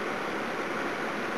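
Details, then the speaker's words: Old electric heater (about 18 years, 240 VAC, 1800W or 2400W) after cleaning and servicing its seizing fan motor bearings; smooth even rush of air, no rubbing, squeal or wobble, fan spins freely and runs normally, like new. "let's give it a test run see what happens a that's much better than has an Ang he"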